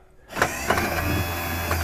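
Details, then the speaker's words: 1972 Buick Centurion convertible, previously inoperative power window after repair; light clunk, then the motor hums steadily all the way up with no dragging or strain, rising faster on its own. Normal power window operation. "Yeah, it went up way faster, so I didn't have to help it up at all. I just went all the way up on its own."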